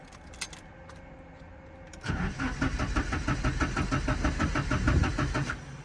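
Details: Nissan 240SX after new distributor cap, rotor and plug wires for an ECU-flagged ignition issue: starter churns with even pulses about three a second but never catches; crank no start, later running on three cylinders with one plug not sparking.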